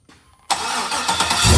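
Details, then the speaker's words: 2006 Chevy Silverado with a used 5.3L V8 just installed, first start without the transmission hooked up and on a possibly low battery: brief crank, then it fires into a smooth rising idle with no knocks or ticks; oil pressure and voltage are good. "it's yeah seems to be good I don't hear any unusual noises"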